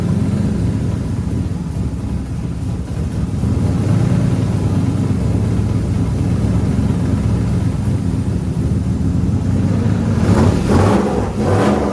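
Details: Turbo LS3 V8 swapped 240SX after a new head gasket, head bolts and exhaust manifold gasket, checking whether an earlier noise is gone: deep, even rumble with throttle blips, no ticking, puffing or hiss; sounds healthy.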